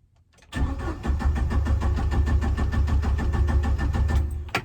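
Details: 1997 Jeep Wrangler TJ, 2.5L four-cylinder, manual, about 204,300 miles, after a remanufactured PCM was installed. Steady cranking at about three pulses a second for four seconds, never catching. Crankshaft position sensor connector had been left unplugged.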